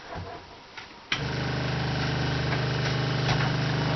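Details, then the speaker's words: RV water pump switched on to pressurize newly installed PEX plumbing: fast, even buzzing hum with light rattle, steady note; sounds not primed, running dry, owner unsure; water then appears and a fitting leaks. "It's sucking. Actually, it sounds like it's not primed. It's not sucking, is it?"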